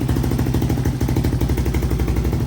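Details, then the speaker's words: 1986 Honda TRX200SX single-cylinder quad, idling: steady, even thumping with no misses or rattles; fires right up and runs pretty good. "the brakes do work though and the quad runs pretty good fires right up"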